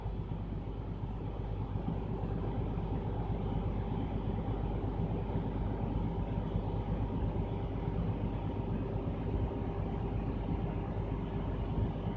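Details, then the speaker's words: Truck diesel idling during air brake test: low-air warning went off at 80 PSI, air compressor building pressure from 100 PSI, last 30 PSI built in 34 seconds; steady even idle, normal pressure build-up. "It went off right at 80 PSI, all right? So once my PSI reaches 100, my last 30 should build up into 45 seconds."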